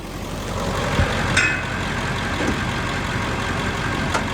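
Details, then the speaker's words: 2000 Ford Excursion XLT 7.3L Powerstroke diesel 4WD, heard under the hood: steady even diesel clatter at idle with low rumble, no misses, knocks or surges; healthy idle. "All right, let me show you back underneath the hood so you can hear it running and idling."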